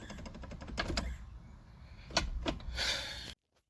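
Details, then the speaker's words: 1991 Fox Body Mustang with Tremec T5 manual, in-car: quick dry clicking rattle as the shifter is wiggled in third and fourth gear (same 3-4 fork), none in first, second, fifth or reverse; missing 3-4 shift fork pad causes shifter rattle. "Go into third gear, however, you hear it? Now just imagine that and a lot more load. And fourth gear, the exact same way."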